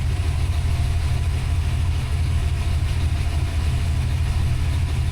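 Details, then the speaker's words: Fresh rebuilt 363 V8 with Holley Smart Coil ignition and Terminator X EFI, temp and oil pressure good; deep lumpy loping rumble barely holding, idle air control at zero, idle set around 760 rpm; idle speed too low, owner plans to raise it. "idle air control went down to zero. It's just tickling a little bit. Probably turn the idle up more. My idle set at anyway 760."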